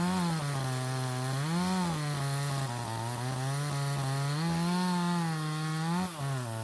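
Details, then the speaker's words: Stihl 026 chainsaw, owner reports pop or miss at high revs when hot or pushed hard: steady howl in the cut stumbles briefly near the end; ignition misfire, suspected wire grounding out. "Okay, I don't know if you guys heard that, but that last little bit when I pulled up on it, you could hear it missing. So I'm guessing there's a wire somewhere maybe grounding out."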